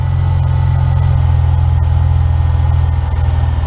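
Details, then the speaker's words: BMW 525i with N52 inline six, next-day start after starter replacement: a smooth, deep, even idle with a steady low rumble, no misses or knocks; normal idle. "but as you can hear we succeeded on the replacement of the starter for the n52 525i"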